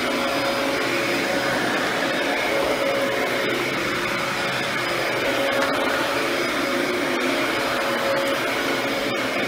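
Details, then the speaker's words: Mid-2000s Dyson DC14 Animal upright vacuum after cleaning and service, now reassembled and working perfectly; steady, even motor roar with a constant airflow hiss and no surging, rattling or bearing noise, healthy. "I was worried that there was some plastic parts I was actually gonna break one servicing this thing but it is now back together and working perfectly"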